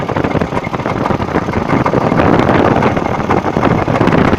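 Engine idling with a rapid, uneven knock running about four per second through the clatter; the cause can't be pinned down by ear.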